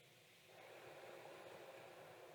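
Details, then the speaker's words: Asus Prime X670-PRO motherboard powered on after replacing an unknown MOSFET/chip: soft airy whoosh rises half a second in and holds steady, no rattle or scrape; fans spinning up normally, board starts. "Yeah, I can see it. I can hear the motherboard start."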